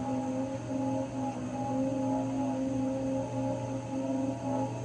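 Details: Raypak 106A pool heater running: steady, droning whine over a low hum, wavering slightly in pitch; whining noise has come back again.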